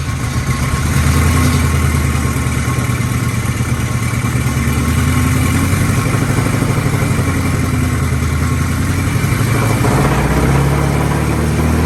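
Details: 1997 Lincoln Town Car Signature being run hard to clear the exhaust: loud, uneven low rumble with stumbles and pops; still misfiring. Catalytic material was blown out and the pipe stayed nearly cold, so a restricted exhaust is suspected.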